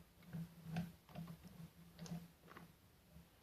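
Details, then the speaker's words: Sewing machine shuttle after lubricating the plastic pressure part that had been squeaking: only quiet, light ticking of the moving parts, a little over two per second, with no squeak; normal running. "Вот видите нету только слышно только вот это вот движение самих деталей"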